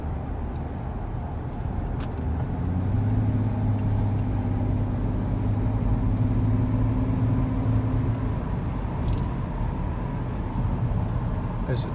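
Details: 2005 BMW 535d E61 estate at cruising speed, recorded from passenger seat: deep steady drone that changes with road surface, no vibrations, passenger headrest vibrates, unchanged in neutral; owner unsure if tyres, source not pinned down.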